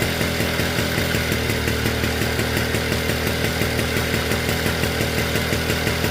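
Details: Motobécane AV42S moped, original setup, after hot-start fault fixed with new complete ignition coil and metal plug cap; small two-stroke buzzing at steady fast beat, crisp even firing, no misses; normal running.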